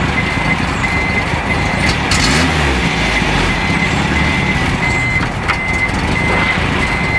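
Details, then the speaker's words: Renault Trafic with a newly fitted reversing beeper bulb (target 85 dB): a high, steady beep about three times a second over the idling engine; the beeper works normally, though muffled. "En tout cas on entend un bip, mais avec le moteur tournant je suis sûr on l'entend plus."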